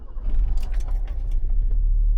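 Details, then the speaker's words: Alfa Romeo 75 3.0 V6 Veloce, first start after exhaust holes were repaired, newly MOT'd after 7-8 years off the road: catches and settles to a deep, even, raspy rumble with no leaks. "Quiet. Ooh, raspy V6 engine."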